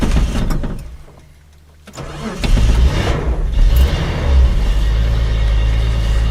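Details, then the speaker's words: Datsun 280Z cold start at about 35°F after sitting a week or two, cheap junkyard-era starter, original Bosch fuel injection: slow, labored cranking before the engine catches into a low rumbling idle; sluggish cranking in cold weather. "the starter I bought a el Cheo starter for this car when I was getting it you know ready to run out of the junkyard so it's a little sluggish and cold weather"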